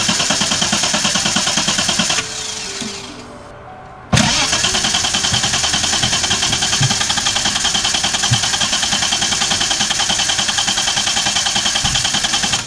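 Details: VL with rebuilt distributor, timing light fitted, first start attempt: starter churns steadily about three beats a second, pauses, then keeps cranking without catching; prolonged hard start, cause unknown.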